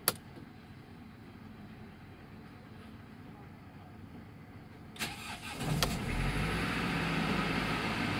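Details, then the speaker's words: 2016 Mercedes Sprinter 316 diesel, 163 hp, L2H2 van, cold start at 6 °C: brief crank, catches cleanly and settles into steady, even idle holding revs; normal cold start and idle. "похолодало, 6 градусов, держит обороты. Вот, камера, все работает. Двигатель работает ровно."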